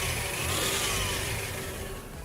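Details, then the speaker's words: GMC Jimmy warming to operating temperature after cooling system refill, belt dressing applied: thin high chirp above the engine climbing with revs; drive belt still squealing on acceleration, owner may replace the belt. "So the belt quieted down, I put some belt dressing on it and stuff, but it still seems like when I rev it, you can still hear it, so I may be putting a belt on it. That's the belt."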